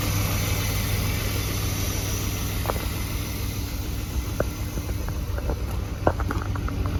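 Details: BMW E34 520i Touring at cold start: steady low idle with faint irregular ticks and taps over the engine, followed by white smoke from the exhaust; cause unknown. Cold start engine noise.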